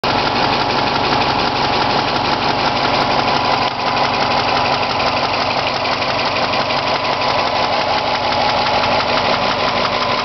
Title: Мотор стучит 016